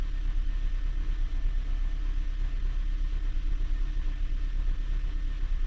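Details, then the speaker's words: 2015 Honda Jade in for misfire codes, idling with all four cylinders currently running evenly: a low, rumbling idle with a hard rattle pulsing underneath. Mechanic suspects the transmission damper disc has broken apart, which is likely triggering the misfire readings. "но демфер гремит ё-моё вообще жёстко брякает как не знаю что"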